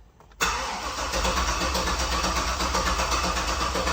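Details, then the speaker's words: Turbo 6.0 L truck with Walbro 525 fuel pump, 80 lb decap injectors and return-style rails, first fire on 3-bar speed-density tune: starter cranks steadily with throttle blipped but never fires; crank, no start, suspected tune issue. "It's kind of odd that it doesn't even want to offer to start. I wonder what is going on with you."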